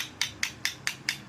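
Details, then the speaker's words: Hero Honda Splendor Pro / Passion Pro self-start engine, crankshaft on bench: sharp metallic clacks about four a second as connecting rod is rocked by hand; excess connecting rod big-end play, crankshaft problem. "சவுண்டுதான் வந்து பார்த்தீங்கன்னா இது என்னன்னு கேட்டீங்கன்னா connecting ராடுன்னு சொல்லுவாங்க இங்க பாருங்க அந்த பிளேவை பாருங்க"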